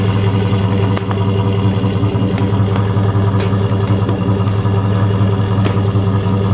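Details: 2001 Dodge Durango SLT 4.7L V8 4x4 after jump start, mic at exhaust; Flowmaster 40 series single-in single-out with MagnaFlow catalytic converter, aftermarket intake; deep steady rumble with light throttle blips, smooth even firing, no knock or tick; healthy exhaust note.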